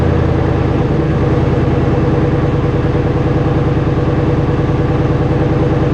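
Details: Truck with the muffler removed, running straight pipe: loud, raw open-pipe rumble with an uneven idle pulse of about two and a half beats a second, judged bad-sounding; a muffler is to be fitted.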